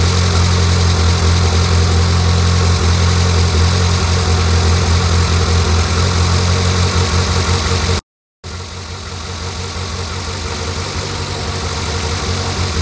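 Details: Fully built Mitsubishi Evo 8 (Arias pistons, Eagle rods, Kelford 272 cams, FP 71HTA turbo, ID1300 injectors) first start after rebuild following blown motor: deep steady idle, even pulses about four a second, no knocks or misses; normal idle.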